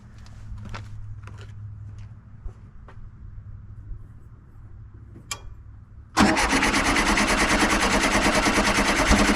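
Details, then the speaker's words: 1973 VW Super Beetle that had run badly then quit; fuel poured straight into the carburetor. After sparse cranking it bursts into a brief rough, loud run; owner suspects a failing fuel pump or a clogged fuel filter. "okay well now that time it actually ran a little bit better or excuse me it ran a little bit more and it pumped more in here"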